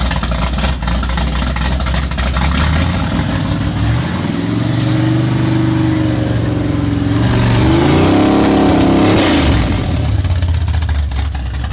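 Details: 1979 Camaro Z28 V8, first startup after rebuild: steady even burble at idle, then two clean blips rising and falling smoothly, no knocks; normal idle and revving.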